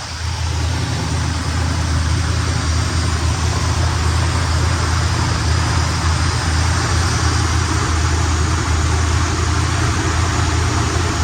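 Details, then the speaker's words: 1972 Buick Skylark left running to warm up after the carb was primed with gas: deep, steady low rumble with an even beat and no knocks or misses; a smooth, healthy idle. "I'm gonna let this thing warm up for about 10 minutes. I'm gonna just let it run."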